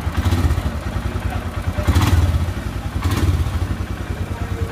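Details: Royal Enfield Himalayan after cylinder and head reassembly, first start: even, regular low thumping at idle with no top-end ticking; single cylinder runs smooth and healthy.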